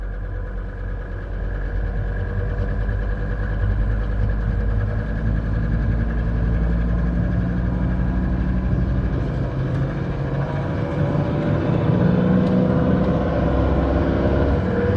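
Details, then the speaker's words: Mercedes-Benz S123 300TD, 722.315 automatic, 720,000 km, after a transmission oil change, started in first in S: diesel revs swell and hang, flaring and slipping badly changing out of first; oil change didn't help. "and changing out of first flaring and slipping like crazy accelerating a little bit goes back into flaring slipping it did not work at all unfortunately"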